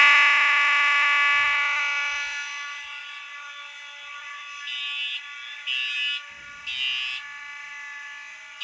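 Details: Fire alarm horn during a Simplex system test with many devices on the circuit: thin, strained tone cutting in and out, sounding like it's dying; suspected to be starved by too many devices, not confirmed.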